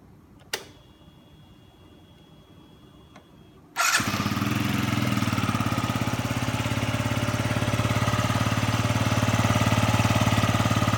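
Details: Yamaha Jog ZR scooter (SA36J/SA39J), accident bike with about 9,000 km, after repair of an abnormal engine noise: quiet start, then a smooth even idle of about 3.5 pulses per second with no knocks or rattles, a healthy engine.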